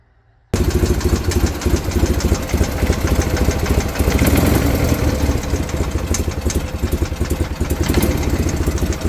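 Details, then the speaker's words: BMW R51/3 boxer twin motorcycle at idle: lumpy idle with a sharp even tick on every beat, about three a second; top-end ticking of unknown source, owner seeking help. "Anybody know what that is? This is the ticking I'm talking about. I hope the camera's picking that up."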